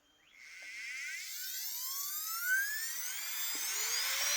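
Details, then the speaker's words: Carving micro motor after cleaning and replacing brushes, 45,000 rpm: clean high whine climbs smoothly to steady pitch with no crackle or stutter; runs like new. "that's 45,000 RPMs right there, guys. 45,000 RPMs."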